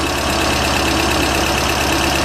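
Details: Pinzgauer twin-carb engine, with lubricated linkage, idles busy and steady with a fine rhythmic pulse while both carbs are synchronized with a balancing tool.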